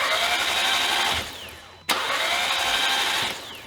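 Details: 2015 Audi TTS rollover project, spark plugs and coil packs removed, cycling key to prime oil before first start: fast even starter whir spinning the free engine in bursts; normal cranking.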